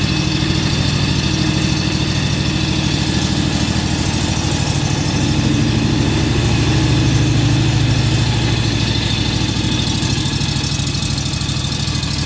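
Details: John Deere X585 mower run for a minute or two after an oil change to circulate the oil: steady, even low thrum at constant speed with no misses or knocks; running smoothly.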